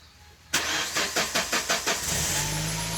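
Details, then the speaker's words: Suzuki Grand Vitara fuel-injected, converted to LPG with a high-pressure regulator and 3 kg cylinder, injector fuel pump line shut off: about six quick even cranking beats, fires at once and settles to a smooth steady idle; normal start on gas. "Dia langsung menyala guys ya, jadi dia langsung hidup ini mobilnya ya."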